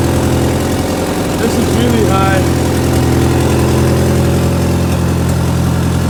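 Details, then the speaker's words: Mk2 Scirocco converted to rear-wheel drive with a 1.8T 20v turbo engine, first start: steady, busy idle held noticeably fast and not settling. Oil pressure good, air-fuel gauge reading around 20. High idle, cause unknown. "so yeah she's alive she's running and running not too bad actually"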